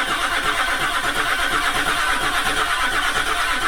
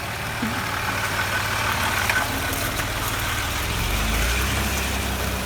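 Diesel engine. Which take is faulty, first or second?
first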